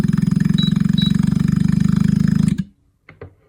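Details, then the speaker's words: Carrier inverter AC outdoor unit, LED blinking 4 times, after IPM replacement on the PCB, turbo start: loud, harsh pulsing drone, about four throbs a second, cut off abruptly; compressor wiring was reversed, causing the abnormal sound. "Compressor का जो wiring है वह उल्टा था इसलिए sound बिल्कुल different type का था।"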